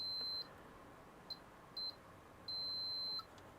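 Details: Continuity tester on a vintage PC motherboard under repair: four high steady beeps of varying length, showing an unbroken circuit board trace.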